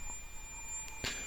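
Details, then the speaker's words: Veon LCD TV that won't turn on with flashing power LED, power supply rectifier diodes paralleled for power: continuity meter gives a steady unbroken beep on the diode next to the suspect one; shorted rectifier diode. "something's not happy on that one is it nope the one next to it you can hear that beeping too"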